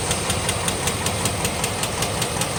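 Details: 2006 GMC Envoy XL Denali 5.3L V8 LH6 Vortec with Displacement On Demand, 68,400 miles; sharp evenly spaced rap about five per second over idle after repeated oil pressure loss; fatal rod knock.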